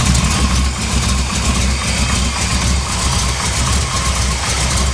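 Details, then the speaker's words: 1982 Chevy K30, 454 V8, 4-speed manual, after cleaning pulleys and tightening belts: deep even rumble with no belt squeal; runs a little rough as it clears out. Normal idle. "no more belts wheel running a little rough and they run in a while so stuff needs to clear out"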